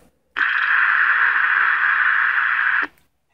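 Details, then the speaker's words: Vintage hamfest transistor radio, probably PNP germanium, under test with 455 signal-generator IF injection; two of four electrolytics found bad, screws missing that may ground the chassis: silence then a sudden flat midrange static rush for about 2.5 s before cutting out; intermittent reception, cause suspected, not confirmed. "that sure sounds like it wakes up, doesn't it?"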